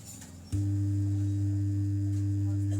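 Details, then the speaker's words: Home theater subwoofer: quiet, then a sudden loud, steady low hum with a buzzy overtone instead of sound. The USB board works, and volume and bass controls change nothing: the subwoofer amplifier hums. "इसका सब ऊपर में sound नहीं आ रहा है sound आना चाहिए लेकिन इस तरह का साउंड आ रहा है य इसका सबपर का साउंड है"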